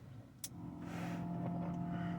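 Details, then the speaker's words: Classic Ford Falcon, 95,701 original miles, Berryman's additive in fuel: quiet start, then a steady low buzzing whine from the external electric fuel pump priming; pump sounds loud and tired, car also shakes. "External fuel pump. You can hear it. See? That's what I'm dealing with now."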